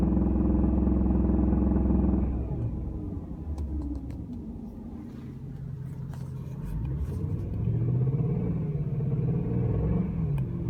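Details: Engine after VAC bearing installation: idles, then drops to a lower, uneven speed with a faint knock about three or four times a second; rod bearing noise suspected.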